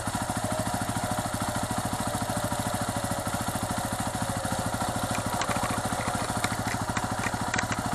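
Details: 2008 Yamaha WR250R after replacing fuel pump with HFP-390 unit: even, steady single-cylinder beat at idle with clean pickup on light revs; normal idle and revving.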